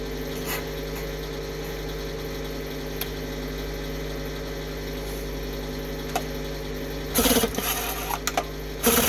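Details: Rebuilt 1960 Evinrude Fisherman 5.5 hp two-stroke outboard in a test tank, first cold start after rebuild: steady even idle with a constant low drone, no knocks or misses, some handling noise; warming up, pumping lots of water, slightly lean.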